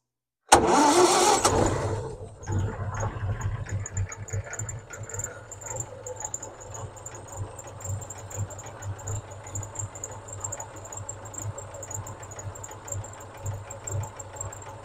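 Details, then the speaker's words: Vauxhall 14/40 vintage car just after an oil change, started out of gear with a bit of throttle, choke likely needed as it runs lean at idle: catches quickly after brief crank, settles to even, slightly lumpy idle; oil pressure comes up, normal. "Probably need some choke. It tends to run quite lean at idle."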